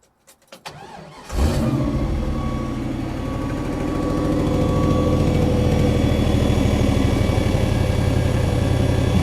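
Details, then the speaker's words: Jeep starting after the fuel pump primes: settles into steady idle with a thin constant high whine from the fuel pump; recorded before the fuel system was rebuilt, which left only a quiet hum. "this Jeep used to wind like crazy I'll go ahead and put a video in so you guys can hear the whine all right so we'll let the fuel pump Prime the Jeep is in"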